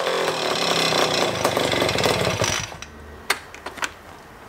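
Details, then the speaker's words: Rebuilt scooter two-stroke (old parts reused) at first start, no tank. Harsh, rapid buzzing crackle under three seconds, then dies to a few clicks; angry, higher compression than stock, running. "that runs for longer than i expected considering it doesn't have a fuel tank but it's definitely running it sounds pretty angry i can hear from the way the starter turns over it's definitely higher compression than the stock engine"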